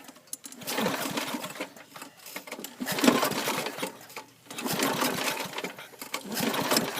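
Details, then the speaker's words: John Deere Power Drive 21-inch self-propelled mower, Briggs 3.5 or 4 hp engine that usually starts in one or two pulls: several recoil pulls, short two-second whirring bursts, never fires; cranks but fails to start, owner suspects out of gas. "no don't want to start I think it's out of gas cuz I did a lot of moan with it before I put it away"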